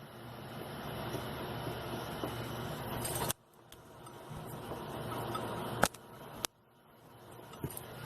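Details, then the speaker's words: 2012 Renault Duster 1.6 16V flex with the wheel forced by hand: sharp, irregular clunks from large play in worn front suspension joints. "sei se eu pegar vez mais com a roda no lugar você força aquele movimento assim a folga támbém grande faz um barulho danado à parte de beleza"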